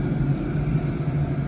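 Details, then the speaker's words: DWALE Chinese diesel heater running after glow plug switched off, burning diesel at about 12.8–12.9 V: steady low combustion roar and hum with no fuel pump clicking; normal running. "it's getting loud now I do not hear the clicking of the fuel pump so I'm very very pleased about that"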